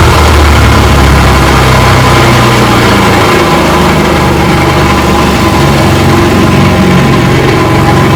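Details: Rebuilt 1959 Evinrude 18 hp fast twin two-stroke outboard, warm after about 15 minutes of running; the cooling problem looks fixed. Steady, even buzz at a constant pace with no misses, knocks or rattles. Normal running.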